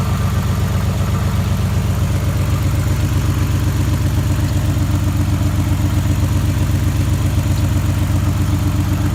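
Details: 1991 Nissan Maxima at steady idle just after an oil and filter change: a regular low tick about two and a half per second locked to engine speed; owner unsure whether injector tick or rod knock.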